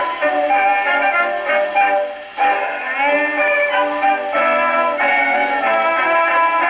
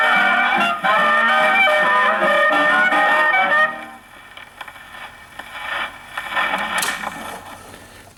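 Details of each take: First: Paillard model 302 portable gramophone, suspected late 1930s, with a large factory reproducer and small horn, playing an early-1920s acoustic record: clean, steady voice and band with no blare or rattle; acoustic records play fine on it. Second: Paillard model 302 portable gramophone, suspected late 1930s, with a factory large reproducer and small horn, playing a late-1920s Tommy Dorsey electrical record on low tone: loud dance band comes out harsh and crowded up top; the horn is too small for the record.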